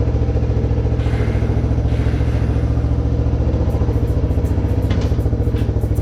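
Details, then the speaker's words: Kawasaki 300 beater ATV, cleaned up and repaired (owner hoped a hole was the issue), idling before test ride: steady, even single-cylinder thump about three and a half beats a second, no misses or hunting; healthy idle. "So this thing seems to be running great, so I'm gonna go ahead and take it for a test run and make sure everything else is doing okay."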